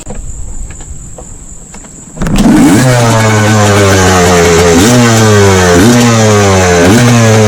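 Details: Restored 1989 Suzuki RMX 250 two-stroke dirt bike with a new, correctly jetted carburetor, warm-up before its first trail ride: catches at once, then a crisp, even buzz rising and falling cleanly with blips; runs well.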